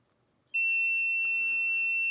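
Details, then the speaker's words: PS5 Slim Digital that beeps on then off, short locator injecting 0.5 V up to 30 A: one steady unbroken high beep indicating the rail is dead shorted; shorted power rail. "So I'm going to inject 1/2 amp, 1/2 volt at, up to 30 amps. This thing's going to beep like crazy, so I apologize for that."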